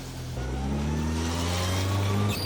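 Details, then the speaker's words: Toyota AE86 under restoration, on its first test drive after a split hose was replaced; a whine climbs in pitch with road speed under acceleration. The gearbox is suspected, unconfirmed. "no I'm talking about the you accelerate yeah it's probably your [ __ ] gear box whiny as [ __ ]"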